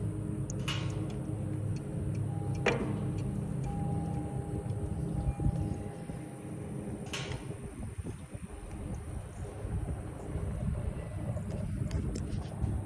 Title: Aermotor clunking noise